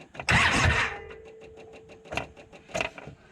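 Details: 2013 Polaris Ranger 800 EFI after replacing a fuel pump suspected of low fuel pressure, new pump sounding better; quick crank catches almost at once into a steady running hum; normal engine start with good fuel delivery.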